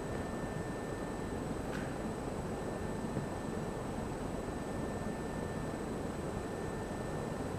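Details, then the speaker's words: Sturtevant Size 8 Design 5 propeller fan, oil-wick bearings freshly oiled, first run in maybe 30 years at 50% speed, hung on a crane; smooth steady air rush, faint constant hum, no knocks or rubbing; drawing 1.6 A at 100 V; runs healthy. "That looks like success. Motor's drawing 1.6 amps at 100 volts"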